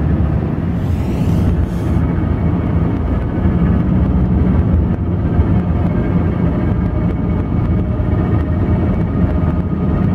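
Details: 2007 Nissan Altima in cabin, window up, accelerating at 25 mph+: steady drone with faint whine, occasional buzz with window down; passenger wheel bearing replacement didn't help; cause was a worn bearing inside the CVT transmission.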